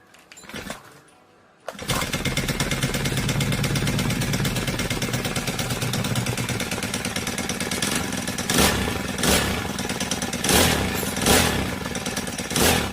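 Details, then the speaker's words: Honda GX35 brush cutter running with a fast, light metallic sewing-machine ticking over its buzz; tappet noise from valve clearance out of spec, to be fixed by adjusting the tappets, alongside replacing a worn clutch. "If your brush cutter sounds like a seing machine and has this similar metallic ticking noise, most likely the bad tapet clearance [music] is out of spec."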